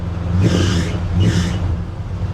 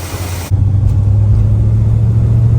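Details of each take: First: 1967 Plymouth Belvedere with an engine believed to be from about '78. The accessory belts are adjusted to the maximum and still loud. Deep rumble with two short high-pitched squeals on revs; belt squeal, to be fixed with a relocation bracket. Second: 1967 Plymouth Belvedere V8 on a cold test drive after the belt squeal fix with a relocated power steering bracket: deep, even rumble pulling steadily, no squeal or chirp from the belts; quiet, healthy accessory belt drive.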